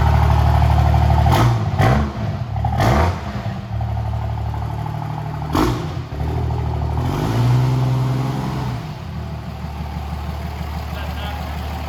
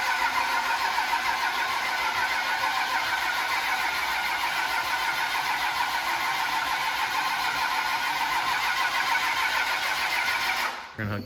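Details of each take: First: 1999 Dodge Ram with a swapped 2003 common-rail Cummins diesel, standalone harness and Smarty level nine flash, first start: the engine catches, revs cleanly and settles into a steady, even idle with no knocks or misses. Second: 1999 Dodge Ram with common-rail Cummins swap, first start, fuel system bone dry and injectors questionable: the starter turns the diesel steadily for about ten seconds with no catch; crank no-start, injectors seemingly not firing, possibly needing grounding.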